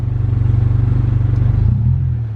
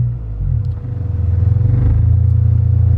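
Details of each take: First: Stock 2000 Honda Civic, stock injectors and fuel pump, running E85 it isn't built for, AFR climbing to 18 before stalling; low, lumpy idle with uneven pulses that sag and stumble, barely revs, very low power. Lean misfire from E85. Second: Stock 2000 Honda Civic on E85 after fuel was increased 30%: air-fuel ratio back to 14.7 stoichiometric from 30–40% lean; idle smooths and firms into an even, happier pulse, now normal.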